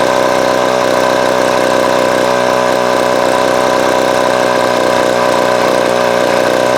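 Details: Vintage Craftsman 22.2cc 14-inch two-stroke string trimmer, estimated early-to-mid 1980s, original spark plug and fuel filter, fuel line replaced and carb cleaned; steady loud even buzz at constant speed, no misses or surging; running healthy.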